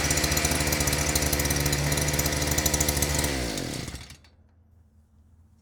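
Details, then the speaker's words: Harbor Freight Predator auger after fuel/air screw and idle screw adjusted: steady even buzz without stumbling, then winds down cleanly to a stop; running normally again. "seems like it's back to its old self"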